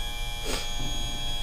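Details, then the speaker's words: Johnson Evinrude FasTrak tilt/trim on a 1999 Stratus 295 Pro Elite, bleeding air after filling fluid, cycling fully down and up about five times: steady even electric hum; trim motor cycling smoothly and healthy. "you're then going to exercise the motor up and down about five times i've already exercised this motor got it um kind of all the air out go all the way down go all the way back up as far as you can"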